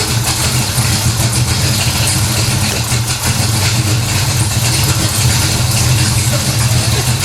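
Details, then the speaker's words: 1970 Pontiac LeMans, mildly warmed-over 455 V8, about 1,000 miles on the oil, before first dyno runs: deep, even idle burble with no knocks or stumbles while checking fluid levels; healthy big-block idle. "first off let's fire this thing up see where we are fluid level wise"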